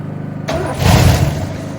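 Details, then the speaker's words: 1968 Oldsmobile Delmont 88 with a 455 big block, sitting 30 years: it catches in short ragged bursts, then fades, dying every time the starter is released. Engine fires briefly then dies. "Short little bursts, but I'll take it. Now it's dying every time I take my finger off the starter there."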